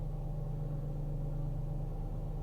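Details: Peugeot 407 with EW7A petrol engine, during a no-start diagnosis involving a burnt connector and a damaged fuse box: steady, even low rumble with no knocks, misses or hunting; a healthy idle.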